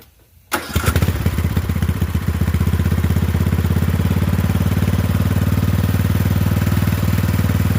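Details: Poulan 12538 riding mower, 12.5 hp engine, with new carburetor, started with brake on: catches on first crank and settles into a steady, even putter of about four beats a second; runs clean and healthy.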